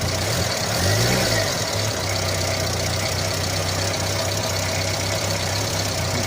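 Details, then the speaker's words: 1986 Renault Super 5 GTL 1.1 petrol, cold start after oil change, in neutral with clutch pressed, too much choke applied: steady, slightly raised idle hum with no dip or stumble; fast idle likely from excess choke, suspected. "Je vais appuyer sur l'embrayage pour éviter... ouais, éviter de fatiguer le moteur pour rien. J'ai mis un peu trop de starter, je pense."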